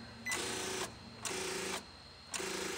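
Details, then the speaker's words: 2012 Nissan Versa with a no-start complaint, key turned before any work done: three bursts of fast buzzing starter clicks with no cranking, indicating a battery that is pretty much shot. "as you can tell that doesn't want to start and if you hear that clicking well it's a good indication of a battery that is pretty much shot"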